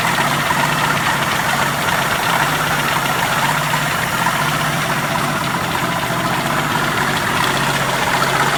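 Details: 1981 Jeep CJ7 4.2L 258ci, supposedly rebuilt engine: steady idle with a light, even knock over the engine note; mystery knock suspected as beginning rod knock or spun rod bearing, cause unconfirmed; valve train and timing chain still to inspect.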